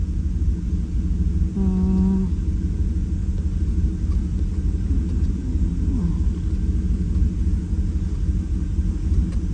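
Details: 2018 Chevrolet Silverado V8 at idle after injector six was swapped into position one to see if the misfire follows; deep rumble with an irregular stumble: cylinder misfire persists, seemingly more than an injector.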